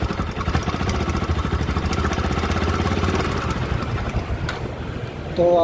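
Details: Bajaj NS200 single-cylinder idling: busy, rattly clatter over the exhaust beat; top-end noise, timing chain, tensioner and guides to be checked, source not yet pinned down.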